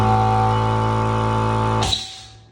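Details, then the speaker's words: Reaim air compressor on 205 V supply instead of 220 V with stock 18 µF run capacitor: steady electric hum under two seconds then cuts and winds down; motor can't stay running. "Ito yung mangyayari sa kanya pagka low voltage yung supply ng outlet natin. Hindi siya tumutuloy ito. Okay ' pero ito gamit ang 18 microarad na capacitor humihinto siya."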